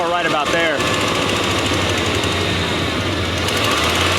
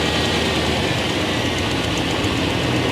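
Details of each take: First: 1995 Chevrolet Silverado V8 shop truck, fuel gauge unreliable: holds a steady, fairly smooth idle for several seconds, then the beat softens and falters, losing power; fuel starvation from low fuel pressure. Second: 1995 Chevrolet Silverado extended cab V8 shop truck after finding finger-tight spark plugs and tightening them (compression suspected escaping past plugs) and clearing exhaust leaks: steady, even idle rumble with no misses, ticks or stumbles; now sounds healthy.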